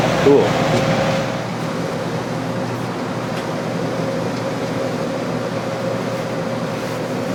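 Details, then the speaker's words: Early 1960s squirrel cage blower fan saved from scrap and fitted in a box: steady, airy rush with a low even hum and no rubbing, ticking or wobble, and strong draw; running smoothly. "Wow, it's got some draw. That's cool."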